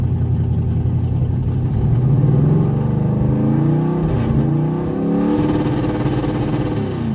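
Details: 1991 Mustang 5.0 LX with a Vortech V-1 supercharger and a high-mileage stock shortblock catches and revs cleanly, pitch rising and settling with no misses; it runs properly now.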